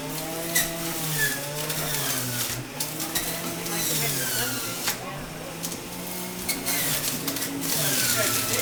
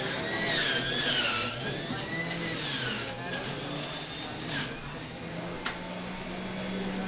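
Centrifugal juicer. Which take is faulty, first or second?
second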